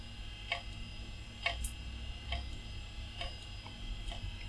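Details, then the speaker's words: Quantum Bigfoot hard drive in an old retro PC spins up with a faint hum but gives a sharp, dry click about once a second instead of reading. Failing drive, clicking. "it's spinning that's a good start oh doesn't sound very happy"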